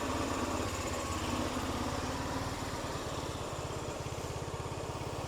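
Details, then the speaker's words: Old scooter revived. A quick, even idle at about three and a half beats a second, nothing knocking, runs fine. The starter button still doesn't work, and an exhaust clamp is loose. "All right, sweet. I still want to get this starter button to work for sure, but nice to see it running."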